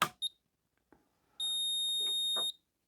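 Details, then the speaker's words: Securalift garage door opener on the bench at power-up; short high chirp, a click or two, then one steady high beep of about a second; meaning unknown. "okay let's just Power It Up with some peeps we've got some LEDs flashing"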